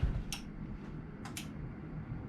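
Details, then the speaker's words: Honda CBR600 motorcycle after headlight rewiring, bulbs removed, switching low to twin high beam: sharp isolated clicks with each switch; headlight relay clicking normally. "Low beam, twin high beam, twin low beam, twin high beam, and you can hear my relay clicking."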